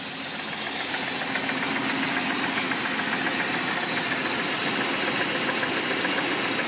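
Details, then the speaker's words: 1991 Jeep Cherokee Laredo V6 4x4 engine; fast light ticking over a steady hiss keeping pace with the engine; owner suspects rocker arms or lifters, cause unknown. "just trying to see what is this noise cuz I have never heard of it and I keep thinking it's either the rocker arms or the lifters but if you let me know I really like to know"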